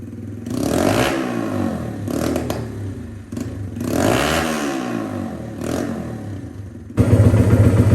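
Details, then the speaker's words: 1982 Honda XR80 with XR100 engine, after repair of a leaking tank, sealer damage and a lack of power, air boot refitted missing one clamp; single revs up and down cleanly, crisp throttle, no knocks or misses, runs healthy. "runs like a top now love this thing"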